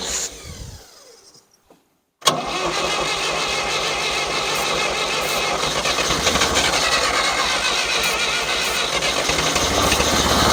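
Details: 1963-64 John Deere 1010W tractor, sat 18 years: short crank, pause, then steady cranking with ragged firing that never settles; runs only on ether, not pulling fuel, suspected plug in the fuel system, carburetor likely to come off.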